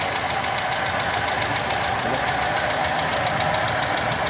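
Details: Toyota Kijang 5K engine at idle, fast even dry ticking clatter from the top end over a steady idle; valve clearances too loose, valves need adjusting.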